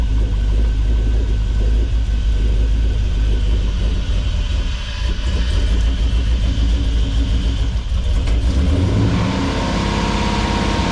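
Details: 1957 Metro van with a modern driveline, running on the hoist after the build to check for leaks: a deep, steady rumble with a couple of smooth revs rising and falling cleanly, no misses or knocks; it runs healthy.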